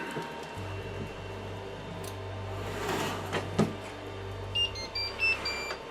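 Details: Anycubic i3 Mega 3D printer hums low while short, high beeps chirp repeatedly. It has been hanging mid-print and beeping a lot, and still beeps after its connectors were reseated.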